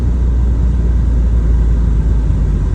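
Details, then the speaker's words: Mazda RX7 FC3S rotary engine idling warm with AC on: steady low rumble, no bouncing or hunting; rough idle fixed by resetting the stock ECU so it relearns after reassembly. "no rough idle hiden bouncing everything also don't have see see it stays here AC open AC on you see the vacuum"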